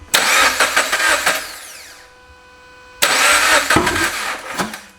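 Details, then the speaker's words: FRS/BRZ/86 first start after a stage 2 clutch install: two short starts, each a rough, blatting burst of firing that quickly cuts out; cause unclear, possibly something not hooked up, later traced to the clutch not being right. "going on here we don't not quite sure maybe sudden something not hooked up a little check"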